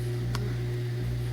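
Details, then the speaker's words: Maytag Quiet Series 300 dishwasher running after being taken apart and the grinder cleaned out; it was grinding before. Now a low, steady hum with water swishing and no grinding or rattling: it runs quietly and normally. "So, not making no grindy noises. I think it's a success. So, you know, that's basically it with the dishwasher. So it's nice and quiet. It's not making any noises."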